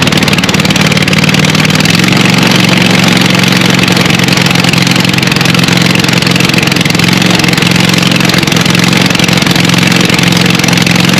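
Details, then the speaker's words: Scag Cheetah mower, apparently 61-inch, with a swapped-in Craftsman 24 hp Briggs & Stratton twin replacing the Kawasaki, no muffler: very loud raw raspy exhaust bark over steady fast idle while charging is checked (not charging); brutal exhaust leak at the engine. "and it is not but man I need to fix that exhaust leak that is that is brutal"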